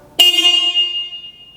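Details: 2005 Suzuki V-Strom 650 that sat at a dealer, checked with key on before starting: one clean, sharp horn blast with a steady pitch that rings and fades out; the horn works normally.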